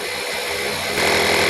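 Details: Stanley FatMax portable compressor inflating a flat tire set to 12 PSI: brief quiet, then steady high buzzing hum as the pump kicks in; cuts off automatically at 11.9 PSI, working well.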